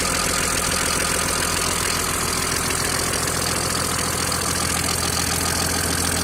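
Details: Mercedes-Benz W463 with OM603 turbodiesel, after oil loss, oil pressure and bearings OK, loosening injectors didn't help: steady hard knock at idle about 2.5 per second, rises with revs, disappears with clutch pressed; cause not found.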